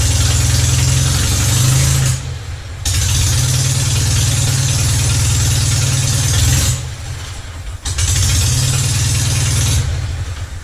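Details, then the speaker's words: Citroën 2CV twin after removing a wood-like sliver from the slow-running jet and cleaning all jets: starts easily, steady putter at idle with brief dips, idles healthily; still fails to change over to the main jet when the throttle is opened. "So you can see the slow running jet is now working. The engine is now starting quite easily, like it used to start, perfectly easily."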